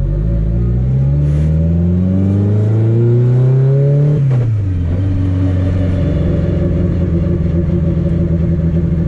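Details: Car road-tested after a CV axle and driveshaft fix, with light acceleration: a smooth pull, a clean shift, then a steady cruise with no shudder or clunk. The driveshaft is smooth and the drivetrain normal under acceleration.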